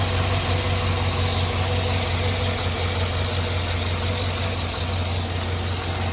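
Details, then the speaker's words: Chevy Suburban V8 at idle after a radiator replacement: a light, quick ticking of about three per second from a worsening driver-side exhaust manifold leak. The manifolds and gaskets are to be replaced. "but I want to know that you guys hear the exhaust leak on the driver's side it's getting worse it's from the exhaust manifold"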